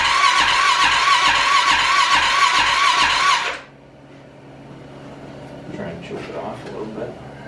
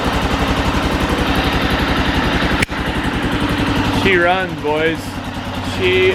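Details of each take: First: Arctic Cat 650 H1 ATV after an engine rebuild, first start attempt with fuel in the tank: two bursts of even, quick starter cranking that never catches, no spark; ignition coil replaced without effect, cause was a bad flywheel giving no signal to the ignition module. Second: Rebuilt Arctic Cat 650 H1 ATV after a new flywheel restored spark: even single-cylinder thumping at a steady idle with no misses or knocks, carb not yet adjusted. Normal running on first start.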